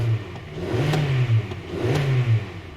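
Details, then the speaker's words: 2011 Hyundai Sonata 2.4 L after fixing a no-crank, no-start starting circuit fault: engine revs up and drops back twice with a smooth, even rise and fall, no knocks or rattles, no dash lights; normal revving. "so right there the engine sounds good there are no other lights on the dash so this is fixed"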